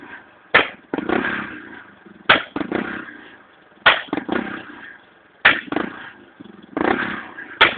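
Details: Honda EX5 motorcycle idling with blue flame from exhaust: sharp pops and bangs about every second over a weak, stumbling idle; misfiring.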